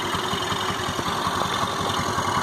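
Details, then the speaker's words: Honda Activa 4G scooter idling: quick, uneven ticking patter over the engine beat, at first heard at the silencer, now thought to come from inside the engine, unlike normal; abnormal engine noise, cause not yet confirmed. "कुछ अंदर से ही शान आ रहा है, एकदम ऐसे कर मतलब जो नॉर्मल आवाज़ आती है उससे एकदम अलग आ रही है।"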